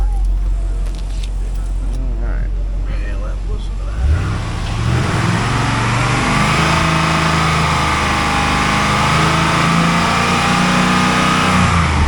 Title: 2005 Pontiac GTO 6.0L LS2 Part Out: J&J Auto Wrecking Test Video #S5PN252